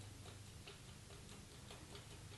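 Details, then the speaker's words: 1959 Harley-Davidson Ironhead Sportster engine: quick light ticking over a low rumble in time with the valvetrain, as worn roller lifters with excess play bang back and forth over the cam. "and that clicking noise is as the valve comes up and the roller uh goes over Center on the can what you're hearing is this banging back and forth"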